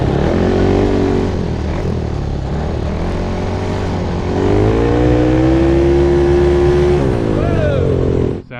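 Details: Monster Moto mini bike with 228cc Tillotson stroker engine, about 23-24 hp, with the small carburetor fitted: pulls smoothly from idle through mid revs and back, no breaking up; running clean.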